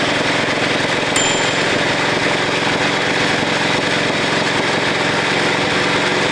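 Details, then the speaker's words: 1941 Caterpillar dozer, sat for years: small pony motor chattering fast with a harsh grinding rasp as its drive gear won't engage and turn the main engine flywheel; cause suspected, not confirmed. "But I done that. It wasn't turning the flywheel. I wonder it's grinding. It's not like quite engaging."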